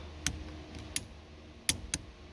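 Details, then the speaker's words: Replacement turn signal switch on a 1970s Lincoln/Ford/Mercury steering column: crisp mechanical clicks as the wheel turns left, then cancels when turned back right, normal switch operation and self-cancel. "so if you rotate the wheel around to the left click there's your clicking you can hear let's do another one another clicking you can hear now you turn it back to the right and it cancels it pretty much how it's supposed to work"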